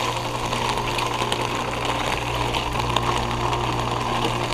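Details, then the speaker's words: Heat pump outdoor unit on a very cold day with ice on the fan blades, going into defrost and melting the ice with steam: steady low hum with a gushing, hissing rush of refrigerant over it; normal defrost cycle. "it's a really cold day right now look at the look at the blades they have ice on them look at that it goes M the ice away"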